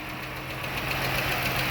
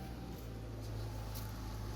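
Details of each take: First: Idling petrol engine with a light, quick metallic valve train tick over a steady low hum; one side is guessed before pulling the valve cover, and the tick is traced to a loose, worn rocker arm. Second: Engine after a broken cylinder 5 intake-side rocker arm was found and replaced, still hot, about 20 to 25 minutes later. A steady, low, even idle hum with no tapping or ticking; it now runs normally.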